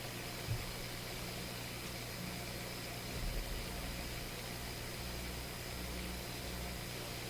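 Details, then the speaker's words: Electrohome Kalmar console stereo receiver with the bass control turned up: steady low hum with constant hiss. Unwanted noise at the bass control extreme; owner suspects a leaking capacitor in the tone control circuit. "I get hum. The bass is turned up. You know, that's not too surprising. If there's a little bit of hum in the radio, you turn the bass up, you're going to hear it."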